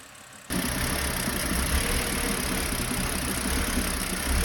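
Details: BMW E90 with N52 engine: catches, then idles with an uneven, lumpy low pulse that never settles into a smooth beat; a clearly rough idle.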